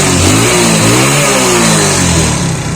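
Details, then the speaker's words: Motorcycle after a piston and block rebuild to cure white oil smoke, revved on the stand: blips up and settles back cleanly with no knocks or misses. Sounds perfect and the oil smoke has completely stopped. "तो सबसे पहले गाड़ी के sound सुनिएगा, एकदम perfect आवाज है, उसके साथ साथ धुआं दिखाता चलता।"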